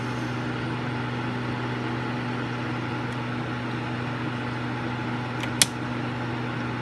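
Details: Suzuki SX4 radiator cooling fan at low speed, coolant temperature simulated to trigger the low-speed mode: steady, even whir with low hum, no rattle or scrape; normal low-speed fan operation.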